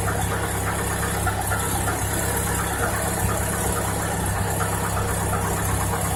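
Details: Cold-start knock on a 2018 Chevrolet Niva: cold engine idles with a steady low rumble and a faint light knock running through it; cause not yet pinned down.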